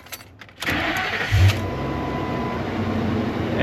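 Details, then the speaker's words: 2004 Ford Excursion after Viper remote-start alarm removal and refitting missing 30 A ignition fuse 105, previously hard starting: brief silence, quick crank, fires right up and settles into a steady even idle; normal engine start. "it fired right up. All right. Now that that alarm is eliminated, hopefully I won't have any other issues related to starting."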